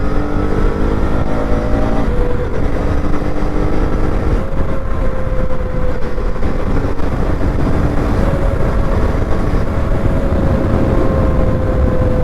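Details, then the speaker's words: KTM Duke 250 Gen 3 on a night ride: steady mid-pitched "ooo" hoot over engine drone and wind noise while under way; rider doesn't know why; source unclear. "ஒரு sound ஒன்று வருது பாருங்கள், ஊ அப்படின்னு. எதுக்கு தான் அப்படி வருதுன்னு தெரியல."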